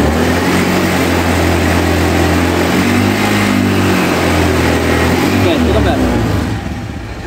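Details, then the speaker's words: Honda Scoopy scooter after a CVT service for rough noise, revving with the brake lever held to simulate load; smooth, even drone with no judder or rattle, now sounds like a new bike. "sendiri ternyata motornya sekarang sudah sehat walafiat Ya aman Sentosa"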